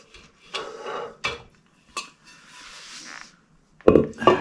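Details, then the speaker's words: Model A brake drum on a junkyard roadster build, turned by hand with only the bearing fitted: irregular metallic scrapes and clinks as the drum drags on the backing plate because of the smaller taper; fix is machining the edges or an axle shim. "all we have is the bearing on there nothing else you can hear it drags on the backing plate"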